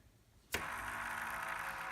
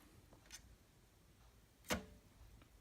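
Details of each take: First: NZXT AER RGB 140 case fan spun by hand: a dry, scratchy rasp from a bad bearing, unlike the quiet rear fan. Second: Hand-spun NZXT AER RGB140 case fan from the rear position, working fine for comparison with a bad-bearing fan: it turns almost silently with only light finger taps and no grinding, a normal quiet bearing.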